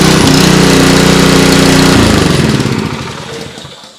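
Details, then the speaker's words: Honda GX200 on a DeWalt DXPW3635 3600 PSI pressure washer, started on full choke: the small single-cylinder chugs unevenly and fades within seconds, running only on full choke; carburetor work is suspected, and the pump makes no pressure. "the engine only likes to run on full chokes so we're probably gonna have some carburetor work to do there"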